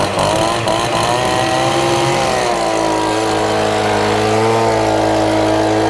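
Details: Stihl BG50 handheld gas blower: buzzy two-stroke settling to clean steady high tone after short rev swing; normal running.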